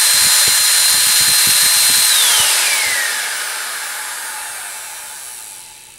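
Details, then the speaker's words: Eureka Airspeed One vacuum cleaner that ran too loud: bare motor run with cover off after clearing crud out; bearings seemed a little rough. Smooth steady high whine with no rubbing or rattle, then even coast-down; crud suspected as the cause. "actually seems pretty good so there might be a chance that uh that all that crud that was inside here it was actually what was causing her problem"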